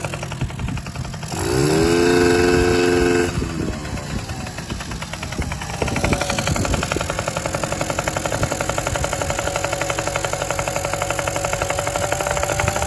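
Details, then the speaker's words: Honda NC50 Express two-stroke being started while the carburetor high- and low-speed screws are adjusted: revs sharply, then a lumpy, uneven putter about four beats a second. Rough running, mixture still off. "Okay, we have to turn up that high speed a little bit, so. And then this one's a low speed. We'll turn this one down. Just a little bit."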